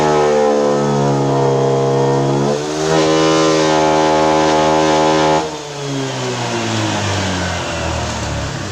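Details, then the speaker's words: Honda PCX 150 with no DTC stored, at high revs around 10,000 rpm: a steady buzzing tone that stutters and wavers with power loss under full throttle, recovering when the throttle is eased; high fuel use reported, cause unconfirmed. "Tapi motor ini ketika putaran mesin di atas, dia terjadi berbet, hilang tenaga. Turun gas sedikit dia enak lagi, pol gas dia merebet gitu ya."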